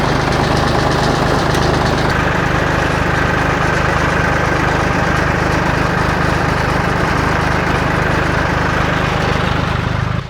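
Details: Old John Deere 820 three-cylinder diesel tractor idling in neutral just after starting: steady, even chug with a low, smooth beat and no knocks, misses or hunting; a healthy idle from a tractor that has always started.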